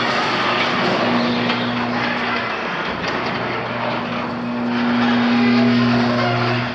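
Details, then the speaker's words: Garage overhead door opener in a condo garage, optic safety sensor test with no block test: steady motor hum drives the door, cuts out, then runs back the other way as it safety-reverses; sensitivity not adjusted, opener not GFCI protected. "but we know that it does have a safety reverse we haven't adjusted the sensitivity"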